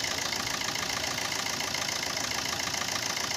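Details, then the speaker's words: Maruti Suzuki Swift diesel at 134,438 km with white and black smoke complaint, turbo and intercooler suspected; steady, even diesel clatter at idle with no knocks or misses, engine itself judged proper before checking turbo, intercooler and injectors. "अब engine बिल्कुल proper है कि को दिक्कत नहीं है"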